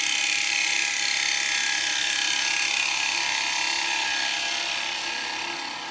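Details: Light finishing cut on a remounted bowl on a woodturning lathe with a carbide cutter (likely 9 mm): a steady, even high-pitched hiss with no rhythmic catching; a normal clean cut.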